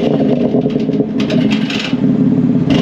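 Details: 2022 BMW X3 M with VRSF downpipes and broken OEM valved muffler: throttle blips bring a tinny metallic clatter over the exhaust note; broken internal exhaust flap rattles under slight acceleration.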